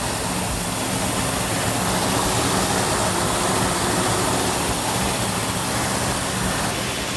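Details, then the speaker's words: New 1967 Plymouth GTX 440 Super Commando V8 at initial startup, held at fast idle for cam break-in: loud, choppy, lumpy big-cam beat, slightly noisy valve train normal for a new engine, no knocking; normal lopey idle. "Then we can lower the idle down. At that point, we'll go back and listen to the cam in the back. Sounds like a big cam right now."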